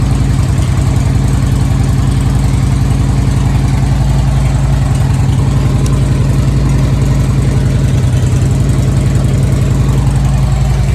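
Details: Harley-Davidson Street Glide Twin Cam after Screamin' Eagle cam support plate and high-volume oil pump upgrade: deep steady lumpy thump, even loping idle beat, no knocks or ticks; hot-idle oil pressure a few psi higher than before; normal idle.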